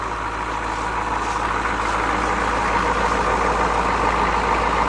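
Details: GM 6.2/6.5 diesel (CUCV), cold-started after sitting a week with glow plugs, warming up on fast idle. Steady, even clatter with no misses or surging; spin-on fuel filter fitted.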